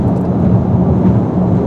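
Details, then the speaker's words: Rough-pavement expressway driving in a 2019 Ford Edge ST 2.7L EcoBoost: a steady, deep low rumble from the large low-profile wheels and tires with no knocks or squeals. This is normal tire road rumble. "get on rough pavement on an expressway that's when the rumbling noises start coming up from these giant wheels and tires"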